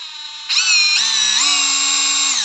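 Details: Used Hilti TE 6-A36 36V brushless cordless rotary hammer, said to run smooth: the motor spins up to a steady high whine, steps up in speed twice, then winds down cleanly with no grinding or rattle. Normal running.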